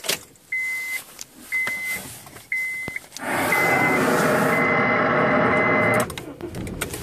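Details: Honda Civic Sport 1.8 aux adapter in tape deck: three short high beeps then about three seconds of steady whirring from deck mechanism; unwanted audio unit noise, cause unknown.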